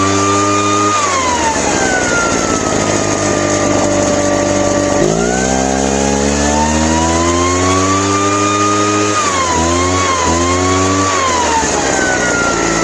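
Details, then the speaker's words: Craftsman backpack leaf blower two-stroke after carburetor cleaning: climbs slowly and unevenly to speed, sagging and recovering before settling high and sounding good; slow to rev up, carburetor has no adjustment. "Um, seem like it runs okay, but it's a slow rev up. Once it's revved up, it sounds good."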